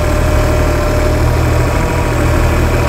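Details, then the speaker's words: Four-stroke multi-carburettor outboard after setting each mixture screw for fastest idle, bottom carb about 3.5 turns out and leanest: steady, even low idle with smooth hum, no hunting or misses. Normal idle. "so now to me that's got all those carburetor mixture screws set to be the fastest idle I can get it"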